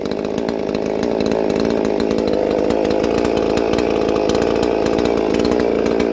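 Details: Holzfforma MS 440 parts-kit clone chainsaw, freshly built with ported 52mm big-bore cylinder (~76cc), 3/8 chain, first runs before break-in cuts: strong steady snarl, slightly rich burble, revs even and crisp; healthy fresh engine running normally.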